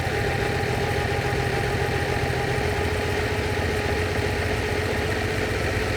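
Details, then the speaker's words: Lamborghini 350 GT V12 (chassis 109, sixth production Lamborghini), idle mixture screws being adjusted per cylinder by listening for tone changes: steady, even idle with smooth low hum, getting sweeter; normal idle. "there it is this is getting sweeter by the second it's tuning in really well"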